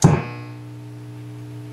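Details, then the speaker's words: Marshall model 5210 solid-state PCB guitar amp, complaint of low volume, noise and squeals, before repair: sharp thump at switch-on then steady low hum with crackles around the power supply; caused by damaged input jack and cold solder joints, fixed by resoldering. "doesn't that sound lovely it does have some low level hum a lot of Crunchies mostly in the power supply area so more than likely with all these circus forward amps we've got probably a million cold solder joints"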